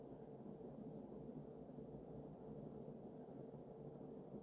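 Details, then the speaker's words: Early-mid 1980s Sears Emerson 52" ceiling fan with K-55 stack motor, on high after its nylon flywheel bushing was oiled: steady, even hum with no ticking, rubbing or wobble, and a high-pitched motor whine; a good performer. "But as expected, it's a good performer. It makes that sort of high-pitched motor wind that I've noticed a lot of these have. Yeah, high RPMs, good performer."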